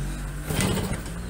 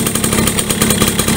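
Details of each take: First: Yamaha V75 two-stroke after 72cc bore-up and clutch repair, previously weak and rough idling when hot: quick even buzzy idle with steady low drone, no roughness or hunting; much smoother than before. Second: Yamaha V75 72cc two-stroke that is weak, struggles on climbs and runs rough when hot: ragged, uneven, rattly buzzing. The piston is suspected loose and worn and the connecting rod worn with age; the fix is an oversize bore-up.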